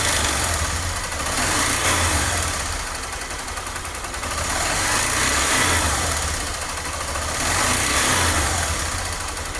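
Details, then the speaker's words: Injected Honda Fan 125 motorcycle, cold, revving in swells with a dry, busy clatter from the cylinder head; noise grows unbearable when warm; owner already checked cam chain, valves and lubrication. "quando ela esquenta porque ela tá fria quando ela esquenta é que aí que o barulho aumenta aumenta mesmo fica insuportável é estranho porque eu já olhei corrente de comando já olhei válvula tá lubrificando"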